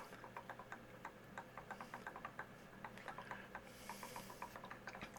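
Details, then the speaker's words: Epson ET-4760 EcoTank printer, cyan ink bottle keyed into its tank: soft rapid gurgling ticks as ink flows in, tapering off as it auto-stops at full without overflowing; normal filling. "It will fill it up only to the top, and then it'll stop. It will not overflow."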